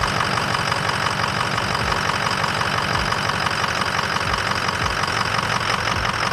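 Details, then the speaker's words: 6.0 diesel truck after replacing the dead injector number four, which had caused rough idle and stalling: an even diesel clatter at a steady idle with no stumbles. It sounds much better and healthy. "when we got done and started it and we ran it a little bit yesterday it sounds so good it sounds so much better"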